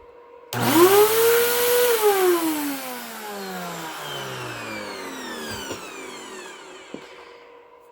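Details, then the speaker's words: 12-year-old Bissell Powergroom Helix Rewind vacuum: motor whine sweeps up fast, then coasts down in a long falling tone; it runs louder than it should, and the motor bearings are worn and need replacing. "The wind down sounds much better. It just runs louder. So again, I'm just going to have [Applause] to There we go. So, I'm just going to have to change out those bearings."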